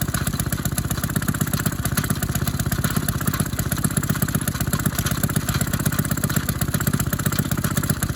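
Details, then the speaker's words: Maytag 72 twin-cylinder engine driving a power hacksaw, warmed up, adjusted: loud steady putt-putt about four beats a second with odd uneven pops; skipping blamed on one cylinder worn worse than the other; intermittent misfire. "you hear that poop poop that's when after it warms up that's when it it starts skipping because one of these cylinders is worn worse"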